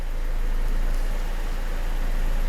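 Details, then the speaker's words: BMW E87 with N45B16 engine, idling right after VANOS adaptation reset following yet another VANOS replacement for a persistent knock; steady even low hum with no knocking or tapping, owner says everything is perfect: normal idle. "Сейчас, пока они разбираются, что к чему, может даже немного постучать. Эти штуки от Vanos-shmanos. Нет, всё идеально."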